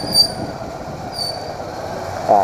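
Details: Brake squeal on a motorcycle: two short, piercing high-pitched screeches a few seconds apart as the brake bites. The owner plans to dismantle the wheel.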